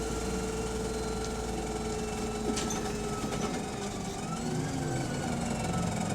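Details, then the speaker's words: Voith-transmission bus under way with steady engine drone plus a thin whining tone that shifts in pitch midway; odd noise, cause unknown. "oh no idea what it's making that noise for"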